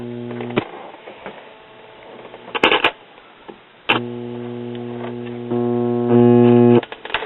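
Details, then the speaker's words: Crosley record player (old, moldy unit) powered on: steady low hum under switching clicks; owner suspects bad filter capacitor causing mains hum, pots also have dead spots and static. "and now I turn it on and it sounds like bad pelting capacitor home"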